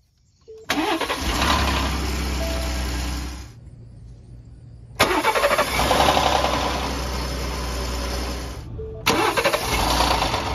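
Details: 2018 Ford F-150 3.5L V6 EcoBoost, cold engine, first morning start: brief clattery rattle as engine catches, then settles to idle; attributed to cam phasers under recall, PCM reprogram by dealer did not fix it; owner also wondered about exhaust.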